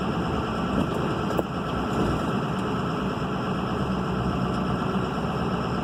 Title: Turbo whine